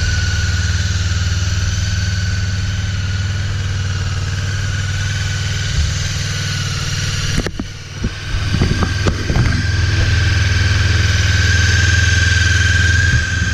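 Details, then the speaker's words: Honda CB 500 (499 cc), first start after six months' winter storage, charged battery, full choke: even, steady low idle beat around four a second, no misses or knocks, brief handling noise; runs pretty well, normal idle. "it runs pretty well"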